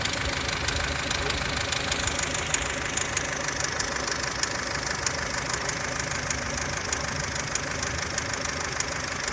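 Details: 2003 Ford Fusion (UK) 1.4 Zetec petrol on 5W-30 oil: light, fairly quick ticking, about two per second, over a steady idle from the belt end; auxiliary belts and water pump ruled out, top-end tick of unknown origin.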